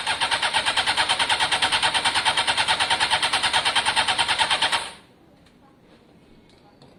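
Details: Honda CBR600 F4i, long-standing non-runner, fuel-injected: a quick, even chuffing at about three beats a second on spray stops abruptly; engine okay but fuel lines need clearing, no fuel getting through.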